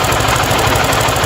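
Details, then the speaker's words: 50cc motorcycle idling: quick light ticking over exhaust beat; top-end tick, owner suspects loose rocker arm rollers, plans to check cam chain and tensioner. "Bem eu tô achando que isso aí pode ser sabe o quê bem isso aí tá com barulho de daquelas rodinhas né as rodinha deve est solta balancinho"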